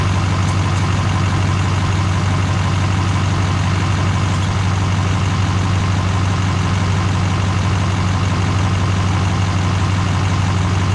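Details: GM LMM Duramax diesel truck after engine replacement and reassembly: deep, steady diesel idle with an even low rumble and no knocks, misses or hunting; engine sounds healthy.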